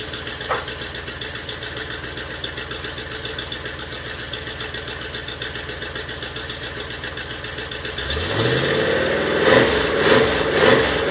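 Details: 1967 Oldsmobile 442 original 400 V8, rebuilt with new rod and main bearings and rings, on engine stand, about 180 psi compression, good oil pressure, radiator getting a little hot; steady even idle then a clean rev rising and falling smoothly; normal running.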